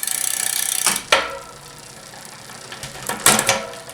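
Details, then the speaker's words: Shimano 105 FD-5800 front derailleur (first-generation 11-speed) being adjusted: freewheel ticking and crisp shift clicks with no scraping in the small cog/big ring combination, outer plate set as close to the chain as possible without rubbing. "Yeah, we're good there as well. And what you want here, you don't want the chain to rub, but you don't want a gap that's, you want this outer plate to be about as close to the chain as you can get it without rubbing in the small cog, big ring combination."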